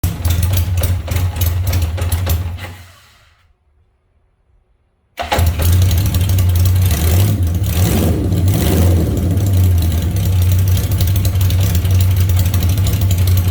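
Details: Engine runs, dies away to silence, then catches again and settles into a rough idle with blips of revs; hard starting.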